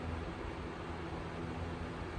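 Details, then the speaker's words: 1942 Emerson 77646 (possibly AL) vintage desk fan on high speed. A steady, even rush of air over a low, smooth motor hum with no ticks or rubbing; moves a bunch of air. Normal, healthy running. "And we have high speed. There's a bunch of air too. They all do, really."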